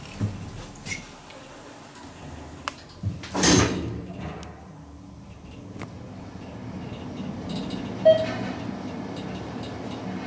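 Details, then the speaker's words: Ride in the Church Ave. Garage elevator in Roanoke, VA, after the Thyssenkrupp modernization with a Hollister-Whitney drive system; the cab was recently redone. The door rumbles shut, then a low, even hum while travelling, with no scraping or knocking: a normal, healthy ride. "but here we go ride on the new elevator the diesel ducey elevator the church avenue garage let's listen to"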